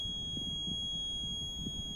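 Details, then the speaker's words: Wheelchair van with Q'Straint QLK-150 quick-lock, ignition on with no wheelchair docked: steady piercing high-pitched alarm warning wheelchair not locked in; silenced by pressing button. "hear that squealing noise that's warning me that he's not locked in at that point i need to push this button down here"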